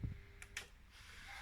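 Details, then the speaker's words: Miele W2839 washing machine in its service test program, component test m24 P2: light mechanical ticking from the detergent dispenser as it steps and takes in water; normal operation. "bakın deterjanlık tıkır tıkır ses gelmeye başladı su istiyor"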